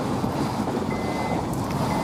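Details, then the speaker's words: 2008 Honda CR-V rear brake: a harsh, steady grinding scrape with a faint squeal as the pad rubs metal on the rotor, intermittent rather than constant; fixed by rear pad replacement. "if you hear that it's like a grinding sound between the brake pad and the rotor"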